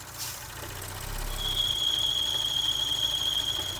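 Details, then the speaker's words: 2018-2025 Audi B9 S5/S4/SQ5 EA839 engine at idle: thin, steady high whistle or screech from the engine bay, a bad PCV breather valve, likely a torn or leaking diaphragm. "So, if you had that same or similar sound coming from your engine bay where the breather is kind of making a hissling or loud screeching noise"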